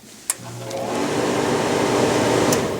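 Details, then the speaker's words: Whitfield pellet stove, start attempted without first removing the plug: a click, then the fan spins up about two seconds and winds down, stopping immediately; the stove won't stay running or light. "and you can see that it stops immediately so with not able to actually start the fire right now"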